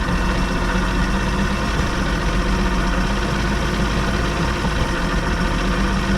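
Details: 1989 Evinrude 150 hp two-stroke outboard steady at about 1200 rpm with an uneven, slightly stumbling beat; hesitation and popping from a fuel issue, with old bad gas found in the motor.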